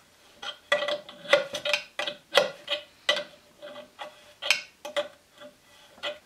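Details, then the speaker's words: FAAC 770N underground electric gate opener motor, failed after about a year, run on the bench with nothing attached and no load: hum with uneven ticking and rattle bursts once or twice a second; owner suspects field windings or bearings, unconfirmed. "I think we might try and run the motor again with nothing attached and see how it sounds so that still sounds rather off with nothing attached and no load on the motor so that which made me to think that there's something wrong with that motor"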